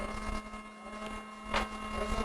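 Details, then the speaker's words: Soldering hot air rework station: a loud, steady whirring hum with fixed tones. The fan runs continuously and no longer goes into standby; the owner suspects a failed thermistor or similar inside. "It's too noisy, and even if I put it on it's no longer going on standby. I'm sure some thermistors or something happened inside."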